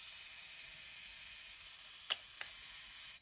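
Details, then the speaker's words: Konica IIIA 35mm rangefinder mechanical self-timer: a loud high buzzing whir runs steadily for about three seconds, then two clicks as it trips the shutter; the timer works properly, just extremely loud. "um self timer works and it's extremely loud okay so just to show you guys hear how loud it is"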